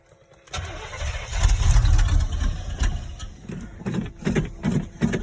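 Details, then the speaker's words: 1986 Chevy K10 on a cold day, needing the pedal pumped (choke cable disconnected); cranks, catches and roars briefly, then sags into uneven stumbling and dies, taking four or five tries before it will idle: hard starting, stalling after start. "it takes like maybe four or five tries to get this truck to idle so there's it'll it'll start up and die a lot before it'll get to"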